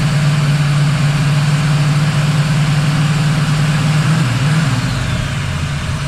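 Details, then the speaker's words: 1979 Camaro Z28 V8 warming after replacing the Pete Jackson gear drive with an Edelbrock Performer double-roller timing chain, new balancer and water pump. Low, steady rumble holding pitch apart from one brief dip, no clatter or whine. Normal idle. "I know it probably sounds loud but that is super quiet cuz you don't hear that Gear Drive lining"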